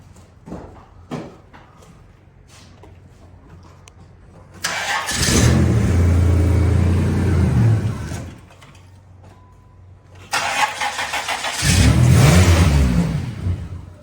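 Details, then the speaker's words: Dynasty barn car after about 3 years stored: two long stretches of steady, even starter cranking, never fires; crank no start, owner suspects the security system, perhaps needing the door closed or a lock/unlock, not confirmed. "I think the door has to be closed or something like that for it to start. It wants to."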